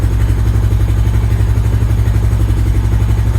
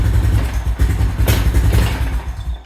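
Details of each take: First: 2000 Honda Foreman 400 4x4 single-cylinder, choke off, possibly old fuel: deep steady thump with brief throttle blip, no misses; now running normally. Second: 2000 Honda Foreman 400 4x4 single-cylinder, warming up, choke position uncertain: uneven lumpy thumping that sags and dies, won't take throttle; owner suspects flooding or exhaust clogged by a wasp nest.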